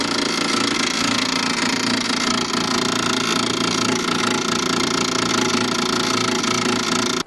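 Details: Failing cooling fan in a Parallax 7355 RV trailer converter/charger: steady, fast buzzing rattle with a harsh metallic edge that runs unchanged, then cuts off; the fan came on too often and made an awful noise, possibly loose. Unit replaced with Parallax 8355.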